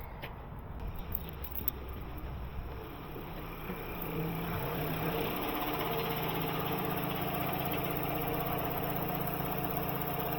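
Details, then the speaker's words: Car wash CAT 310 pump, upstairs: quiet steady run, then when the trigger is pulled and loaded it turns rough and churning, pulsing about three times a second; cavitation from worn valves and seals. "It's definitely cavitating. I'll just put it on rinse and see if it's the same. Yeah. It sounds all right until you pull the trigger, so I don't mind leaving that running."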